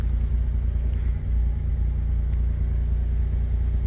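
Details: Pontiac Grand Am 3400 V6 after a 65mm throttle body install and a new muffler with GMC Acadia exhaust tips: deep, steady exhaust rumble at idle with an even beat and no misses or rattles; a healthy idle.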